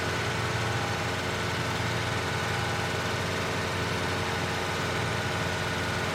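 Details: 1993 Ford Mustang Cobra 5.0L V8 held at about 2000 rpm for exhaust temperature checks: rough, uneven note underneath; number three cylinder runs lean, up to 664 versus 350-440 on the others.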